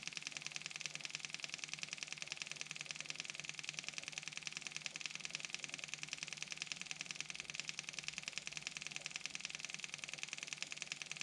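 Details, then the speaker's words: Kubota M6060 tractor at 1500-hour service, engine off, key on: electric fuel pump buzzes steadily with even ticking, its sound changing as it refills the fuel filter with bleed screw cracked open after filter change. "you hear the sound of that pump change okay we're getting feel up here"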